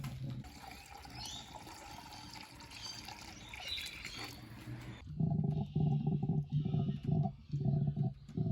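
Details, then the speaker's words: Mercedes ML or GL, refilling the coolant reservoir with radiator flush and demineralized water after draining: irregular glugging and burping bubbles about twice a second as trapped air works out of the cooling system. "now straight away you can actually hear that gurgling as the Air's coming out"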